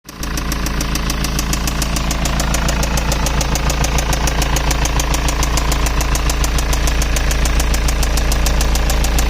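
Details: 2006 BMW E91 320d, M47TU2D20 diesel, idling with a sharp, regular knock about three a second over its deep rumble; an earlier squeaking noise changed into this knocking.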